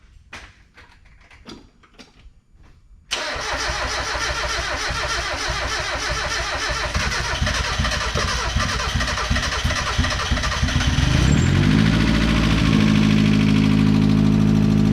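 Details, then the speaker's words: Turbo Miata first start after head work, new balancer and clutch, with fuel probably low and timing unchecked: slow cranking, then it catches and runs unevenly before settling higher; rough running, needs a lot of tuning. "Well, hey, she runs. She doesn't run the greatest. Needs a lot of tuning"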